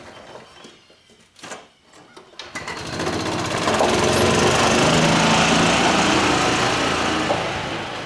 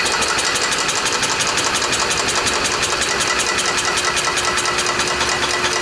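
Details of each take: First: Club Car golf cart, stored 4 years, after water was worked out of the system and a water-seized pivot point was believed to be the cause of quitting, in forward gear: clatter, then a fast even buzz steady under load, normal running. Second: Club Car golf cart petrol engine, first start after 4 years stored in a barn since it quit; fuel checked as gas, not water: it catches and runs with a rapid, slightly uneven pulsing rattle and shaking. Rough running.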